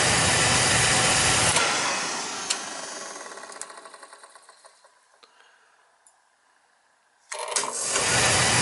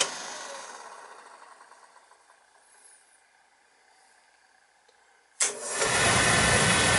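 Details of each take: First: Beckett oil burner on an oil boiler tripping on safety, already cleaned with a new nozzle, filter and transformer. The roar winds down with fading ticks, goes silent, then relights abruptly; delayed ignition is blamed on a bad primary control to be replaced. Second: Beckett oil burner on an oil boiler that was tripping on safety, retested after the primary control change. After a quiet stretch it lights into a steady, even roar with no hesitation or rumble: normal ignition.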